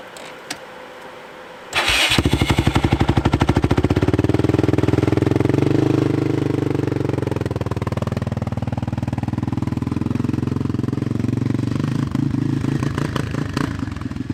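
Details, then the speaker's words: Yamaha Raptor 660 quad engine problems: single fires after two seconds then runs lumpy, uneven and stumbling, slightly smoky; owner suspects timing. "the way this sounds it sounds like a timing issue to me it's slightly smoky as well"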